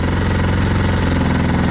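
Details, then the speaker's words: 1996–97 Yamaha Timberwolf 250 quad, sat 18 years, got running: after adjusting the carb idle screw while running, steady even single-cylinder thumping idle, no revving out or hunting, much better than before. Normal idle. "that's how it should sound it should sound a lot better than what it was when it was"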